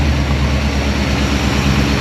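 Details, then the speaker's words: Holden HT with 253 V8 swap, first start after long sitting, warming up, some smoke: deep idle with uneven lumpy pulse, possibly not running on all eight cylinders; rough idle. "I don't think she's running on 8D, but Doesn't sound like it. she's got a bit of a rough idle."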